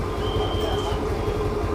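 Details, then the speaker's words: TVS Jupiter scooter after an engine rebuild with many parts replaced for heavy bearing noise; starts first try: smooth, even engine hum at steady speed with no ticking, knocking or rattle. Normal running, sounding like new. "इस Jupiter की आवाज company जैसी हो गई है दोस्तों"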